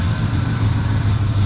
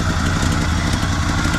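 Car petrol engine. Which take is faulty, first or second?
second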